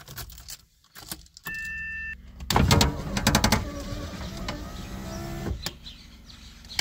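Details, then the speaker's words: 1981 Mazda RX-7 FB: power window motor whirs with loose rattling and clicking throughout travel, then stops short of closing; the window seal has crumbled into plastic pieces. "in my case you can hear that the window is just rambling and also not going up all the way both of those problems are because the seal is broken"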